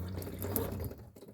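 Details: Camper van water system where other taps are blocked: steady splashing rush of water into the sink from the right-hand tap, no sputter or surging; normal tap water flow.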